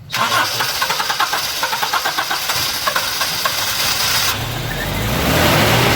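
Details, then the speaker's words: 2003 Kijang Kapsul during a tune-up: after foam cleaner soaked the combustion chambers about 15 minutes and plugs were cleaned and refitted, the starter churns in steady pulses for a long crank, due to leftover foam. "Nah, ini agak panjang starternya karena masih ada sisa foam tadi."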